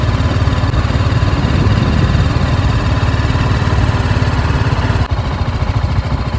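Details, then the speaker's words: Single-cylinder motorcycle (apparently the BMW G 310 GS, started for comparison with the Himalayan 452) idling with the microphone close to the engine: a deep, even thump with no ticking or tapping, so the idle is normal and healthy. "at least to my years this is more pleasant to hear so it's a bulletproof engine"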